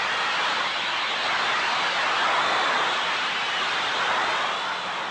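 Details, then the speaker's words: Ultrasonic leak detector scanning at maximum sensitivity in fixed band mode, meter in log position: a steady rushing hiss that swells slightly as the probe closes in, the characteristic sound of pressurized gas escaping from a leak. "scan the area closing in on the leap site by listening for its characteristic rushing sound"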